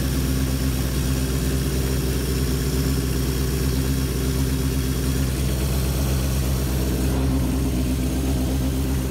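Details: 1978 Kawasaki KZ650 C four-cylinder, revived after sitting at least 5 years, during carb synchronization with air cleaners off: steady even hum held at raised idle around 2000 rpm, no misses or surging, healthy and balanced; normal fast idle.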